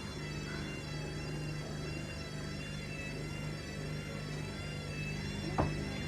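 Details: New Hoover DXC C49W3 Dynamic Next washing machine on spin, decibel meter near 80 dB and peaking at 88–101. It makes a loud, steady high-pitched squeal with ringing overtones over a low hum.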